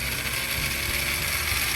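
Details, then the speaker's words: MN99S 1/10 RC truck with metal gearbox, in neutral with throttle raised, before adding oil: loud steady metallic ratcheting grind with high whine from dry gears; adding 5 ml of oil made it noticeably smoother. "Nah, kita tambah oli 5 mili dulu ya. Suaranya langsung agak, tadinya berisik banget ya, jadi agak lebih halus."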